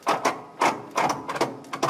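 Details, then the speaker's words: Vehicle at an off-grid tiny house, jump-start attempted with a half-dead booster pack that shut itself off: sharp, uneven clicks, about five in two seconds, with no cranking at all; starter clicking from a weak jump pack. "a better battery in my booster packs half dead oh yeah I think it is dead actually it shut itself off usually doesn't do that so it must be pretty much dead"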